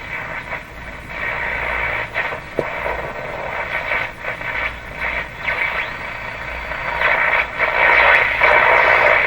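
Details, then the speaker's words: Philco 38-C7 tube radio on AM broadcast band, near 590; rough fluttering hiss pulsing about four times a second over the station, an unidentified signal often heard in the shop. AM radio interference noise. "so this noise this funny rubbly noise is something I hear in my shop all the time on the M radios it's a signal in here don't know what it is"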